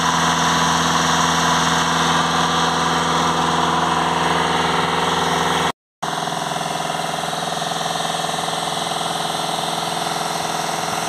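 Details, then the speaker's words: VW Crafter 2.0 TDI van with code P2463 blocked DPF soot restriction, revs held with accelerator depressor while watching DPF pressure in live data: steady raised idle, even and clean, no knocks or uneven beats; healthy. "we'll go into live data and we'll just hold some revs on the van and see if we can see the the pressure dropping"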